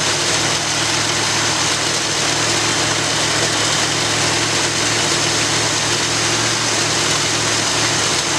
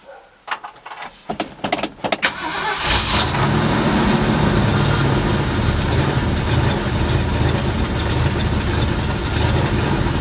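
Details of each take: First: After rebuilding the Edelbrock carburetor on a 1965 Ford Galaxie, steady, even V8 idle with a strong airy intake hiss and no stumbles or misses; owner says it sounds like it's breathing a whole lot better. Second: 1965 Ford Galaxie V8 with freshly rebuilt Edelbrock carburetor: starter cranks in short bursts, then catches into a low, slightly lumpy idle; owner had turned the idle down a lot and will turn it back up; oil pressure light came on, old oil.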